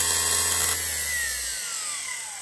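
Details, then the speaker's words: T-72 tank electric oil priming pump motor, rebuilt with brushes okay, bench run: clean high whine at steady speed, then pitch falls smoothly as it coasts down after switch-off; bearings sound healthy. "that was working pretty well that's powerful that motor when it starts"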